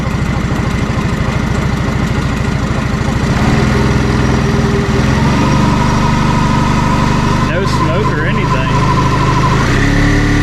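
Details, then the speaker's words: 1987 Honda 3813 lawn tractor revived after years abandoned, reassembled but still without clutch and radiator fan. Low, smooth, steady idle with no misses, knocks or rattles; it idles very low and quiet. Normal idle. "man just listen to that thing per thing is so quiet and it can idle down so low that is amazing"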